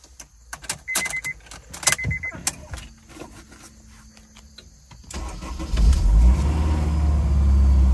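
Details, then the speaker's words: Wrecked 2002 Honda S2000 with front-end damage, stock exhaust, oil and coolant good, cold start: after clicks and handling noise it fires right up and settles into a steady, smooth, even low idle; a healthy start. "Oh, she fired right up. Oh yeah, very nice. Yeah, this thing sounds pretty smooth."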